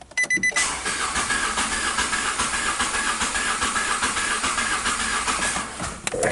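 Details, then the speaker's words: Three-cylinder engine (firing order 1-3-2) cranked with the coils disabled while scoping a misfire. A hissing, uneven cranking beat with one light stroke per cycle shows low compression in cylinder 2, possibly from exhaust valves, intake valves or piston rings. "so that this waveform is letting me know that it's a dead holder number two why I'm not sure um it could be going through the exhaust valves the intake valves um the piston rings"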